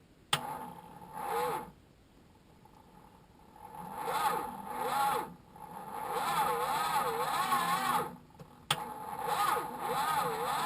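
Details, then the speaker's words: Chrysler Valiant VJ, sat 25 years, three-on-the-tree manual, first crank with ignition bridged since it won't crank off the key: laboured, wavering, slow starter cranking bursts; weak cranking. "it's winding but it's not happy so um that's a start i might try and start the truck and we'll try and get some more juice into this"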